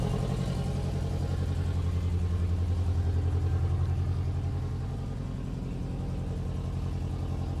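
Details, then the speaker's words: 1994 Honda Accord turbo engine with ring land problem, smoking and burning oil: loud lumpy idle, steady thrum about three pulses per second that sags and wavers, missing on a cylinder; owner suspects exhaust leak at turbo manifold. "going to start up the car to let you hear what it sounds like it sounds pretty bad to be honest but that's because you know it's missing on a cylinder"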